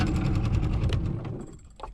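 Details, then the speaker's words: Yamaha 45HP two-stroke outboard on a 1971 Boston Whaler Sport, idled down on the water: choppy, uneven putter that stumbles and dies; owner suspects idle adjustment, runs better choked and warmer. "Like I said, I gotta adjust the idle or something on it. I don't know what the deal is with it, but it just doesn't want to do right."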